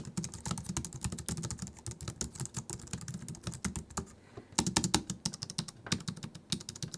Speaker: Most keyboards today use scissor switches, which have way less travel than mechanical switches, and they don't have a tactile bump in the middle of them. They're also quite a bit quieter than mechanical switches.